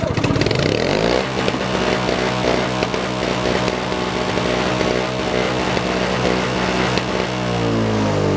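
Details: 1970s Nova snow blower, yard-sale find, after reassembly with tins back on: small single-cylinder engine catches after a brief crank and settles into a steady, even putter with no misses; running normally.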